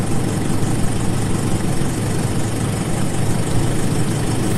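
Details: Don pips' car after repair, at the test drive: a steady, smooth, low idle rumble with no knocks or misses. Running right.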